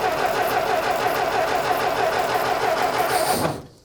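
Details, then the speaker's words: 1925 Ford Model T, sat unused for decades, first start after plugs pulled and points cleaned: catches, coughs unevenly and dies, sputtering as if starved; they suspect it needs choke. "- I'm gonna try to choke it. - Yeah, I was gonna say it needs some choke go."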